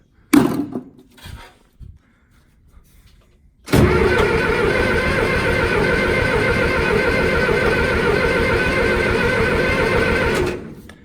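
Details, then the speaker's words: John Deere 2510 tractor with new negative battery cables, cranked with ether starting fluid: starter churns about four compression pulses a second for seven seconds, never fires; seemingly no fuel coming through. "Okay, turn it over, but don't seem to be getting any fuel here."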